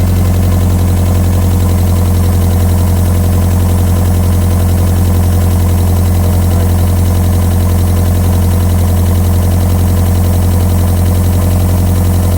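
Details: Mazda Miata engine running after a no-start was traced to incorrectly plugged ignition coil connectors, timing rechecked: steady, even idle with deep smooth hum, no misfire stumble or knock; running cleanly.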